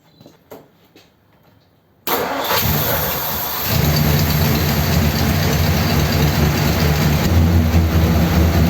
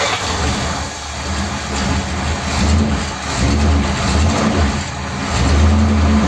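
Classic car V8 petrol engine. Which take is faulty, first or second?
first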